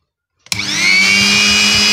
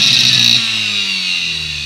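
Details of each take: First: Mixer grinder motor after the bush was replaced and the bolts tightened: spins up fast to a smooth, steady high whine with no rattle or scraping; it now runs clean and healthy. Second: Mixer grinder motor running at steady speed before repair: loud, harsh high-pitched roar with a rough, buzzy edge; the worn motor bush needs replacing.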